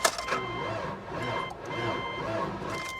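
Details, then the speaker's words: Salvage auction car from Louisiana, cranked on a charged booster pack: slow, dragging starter whir rising and sagging in heavy beats, barely turning over; owner suspects the engine is seized, not confirmed. "that sounds real bad. And it's not my booster pack. My booster pack has got juice."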